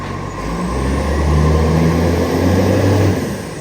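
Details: Refuse truck no. 91 with an exhaust leak on its collection run: deep diesel rumble swelling and settling with a rough, chuffing edge under load.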